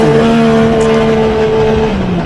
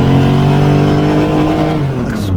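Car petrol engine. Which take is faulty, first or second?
second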